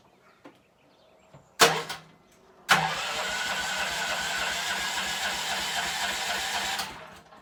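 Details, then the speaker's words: Gas golf cart before repair, blown exhaust gasket: engine catches after a couple of cranks and settles into an extremely loud, harsh raspy idle with hissy edge; exhaust leak. "start this thing is Extremely Loud right now"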